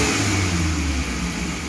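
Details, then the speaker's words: Futura 1.5 (1500 cc) car after spark plug fix for hesitation and shake on sudden throttle, idle about 900 rpm: blips snap up cleanly and settle, now responsive with no delay or shake before revving, unlike before. "kalau dari gas-gasnya ini saat kita injak secara spontan ini udah normal Ya udah langsung udah langsung responsif tidak delay kayak sebelumnya"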